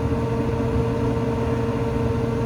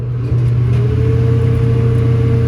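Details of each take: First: Restaurant kitchen hood exhaust fan, belt-driven, test-run after a new belt was fitted, with kitchen background: a steady, even mid-pitched hum with no knocking or squealing; running normally after the repair. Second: Restaurant belt-driven hood exhaust fan motor on the roof, switched on from below: a deep steady hum with a slowly climbing tone, never reaching speed. Struggling to start; a faulty switch or worn sealed bearings are suspected.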